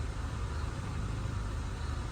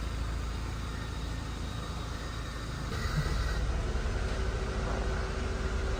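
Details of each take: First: Honda Civic with rough idle when the aircon is on: an even, low, steady idle without dips or surges. Achieved with a substitute ECU box, ICV, MAP sensor, TPS and throttle body fitted. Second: Honda Civic after ICV cleaning and relearn: low, uneven rough idle that grows louder and strained as the A/C load kicks in, RPM dropping; not fully fixed, throttle body swap tried next.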